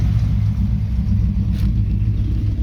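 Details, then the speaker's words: Smokey Dodge with a 318 V8, a MagnaFlow muffler and no alternator fitted. Deep, steady burble with an even low rumble and no missing beats. Normal idle. "Well, that MagnaFlow sure does sound good. It don't look good, but it sounds good."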